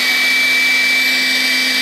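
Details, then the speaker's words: Makita XLC02ZW cordless compact vacuum on a slide-rail battery: a steady, even, high-pitched motor whine with constant airflow hiss and no surging, running normally and quieter than the previous Makita vacuum. "And that's what it sounds like. It's not very loud."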